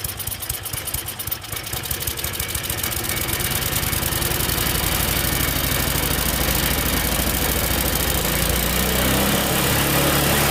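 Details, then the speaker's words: Tecumseh-engine snowblower after a carb clean: coughs on starting, then revs climb and stay high even at the lowest setting. The governor doesn't work because its linkage was reconnected in the wrong carb hole, so the engine over-revs. "I've never had one where the governor doesn't work it's interesting I mean unless I put it back in the wrong hole"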